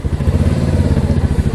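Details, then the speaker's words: Mash Fifty 50 cc with a newly installed replacement Lifan engine, just started without choke after the swap: a quick, even low putter from the small single with no knocks or misses. A normal idle. "Let's see if we can start it without a choke. And we can."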